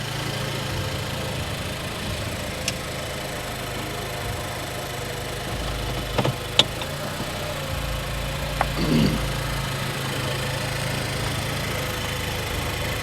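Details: Nissan Juke after fixing a cylinder 2 misfire, idling with no throttle input. Engine ticks over at a steady, even idle with only a few stray clicks from the surroundings; it sounds healthy and the issue is fixed.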